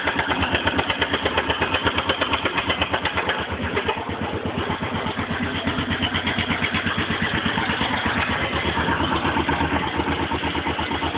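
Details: Suzuki DR 750 single-cylinder motorcycle idling cold: a steady, regular knock from the top end; the sound quietens and disappears once the engine warms up.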